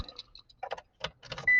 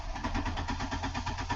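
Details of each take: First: 1999 Ford Escort, transverse engine, started before the fuel pump inertia switch test: some clicks, then a steady, even idle with a smooth low hum and a chime beeping over it. Normal idle. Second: 1999 Ford Escort: the fuel pump inertia switch was smacked and its red button popped, killing the engine. Cranking gives regular whirring pulses, about five a second, with no firing. Crank-no-start because the tripped switch cuts the fuel pump.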